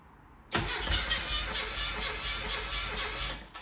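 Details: Classic Mini with blown head gasket, engine never converted to unleaded, before repair: catches and runs rough and lumpy, misfiring because two cylinders have no compression; it also clunked in gear.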